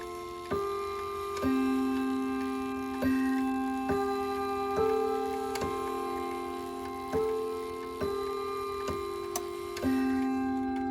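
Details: Ridgeway wall clock after overhaul and cleaning: steady tick under clear, even chime strikes, hammers free; earlier fault was oil or grease on the hammer post, now normal ticking and chiming.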